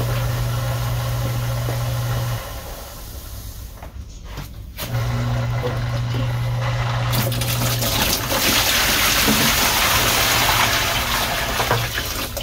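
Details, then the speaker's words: Small pump purging the loop lines on a new Rheem combo boiler install, with a spin-down filter fitted. A low hum over running water cuts out and restarts every few seconds: short cycling, likely from air trapped in the line. "it's cycling like it's a got air in the line and not able to get it out"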